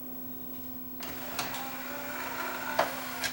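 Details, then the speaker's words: Yamaha 5-disc CD changer: a steady low motor hum with light clicks runs about 10 seconds, but the tray won't open. A slipping, stuck loading belt is suspected; tray motor runs without loading the tray. "I think what we were hearing on this was he would say you could hear a motor running and it wouldn't open."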